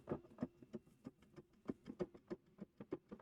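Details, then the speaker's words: Heavily abused Ninebot Max G2 customer-return scooter, front end worked by hand: light, uneven clunks about three a second; play in the front suspension, unusually noisy, not snapped. "yeah you can hear that of course play on a on a front suspension but this one's actually quite noisy"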